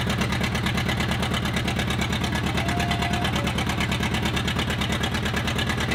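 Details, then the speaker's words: Old diesel engine running after fuel was hand-pumped into the injection pump: hard, crisp exhaust pops at a fast steady beat through an unmuffled straight-piped exhaust; runs evenly, though oil is pretty milky. "I don't know why they straight piped it, but >> I'm putting a >> smoke stack off Kenworth on it."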